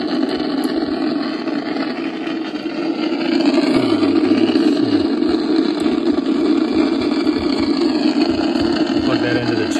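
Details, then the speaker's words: Icom IC-746 Pro on an MFJ switching power supply that drops out when DC adjust is touched: steady rough hiss and low hum, no reception, weather station at 162 MHz not heard; dirty DC, voltage or bad components suspected. "yeah i don't hear the weather station like i'm normally able to nothing just that noise"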